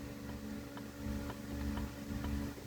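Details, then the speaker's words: Differential out of a 2004 Mercedes C230 (W203, 1.8) during rebuild, axles removed; light regular ticks about twice a second as the unit is rocked by hand, little visible movement; something seems loose, suspected gear play, not confirmed. "if I do that it seems like it has like 10 to 12,000 clearance or something I can hear it ticking but it doesn't move that much"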